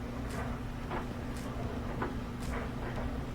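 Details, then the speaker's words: Whirlpool washer after clearing its drain and reassembly, no leaks: steady low hum with a soft swish about twice a second as the drum turns and gathers speed toward high-speed spin; normal spin. "Turning really good. I don't see any leaks after the reassembly."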